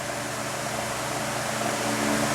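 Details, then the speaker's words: Galaxy 2150 12-inch oscillating table fan, dusty and never lubricated, baseline run before cleaning: steady rushing hum and tonal drone with faint rattle from dry motor bearings, airflow restricted. "and rattle there is dry bearings and it has a very restricted sound still moving a lot of air but not nearly as much as it should be"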